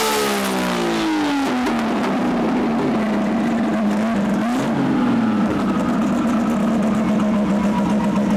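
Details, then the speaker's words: RB engine on dyno after plug and lead change: strong, clean high-power pull with the tone sweeping smoothly and steady, no stumbles or popping; earlier misfire (cylinder four suspected) now gone. "That misfire sounds like it's gone, Chris. Yeah. Sounds like it's gone."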